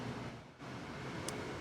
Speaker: that is a an air conditioner that I bought 2 years ago uh I don't know is that some sort of um estate sale or something and it's a big commercial you know rollar around air conditioner